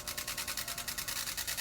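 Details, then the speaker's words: Old clip-on electric fan, loud for a long time, running before repair: fast pulsing hiss and rattle, about a dozen beats a second, noisy even when shaken; rattle from loose parts. "Ayun guys, maingay na siya. Maingay siya, tapos ang hirap niyang patahimikin. Kahit anong gawin natin klase, kahit uga-ugain natin, maingay pa rin."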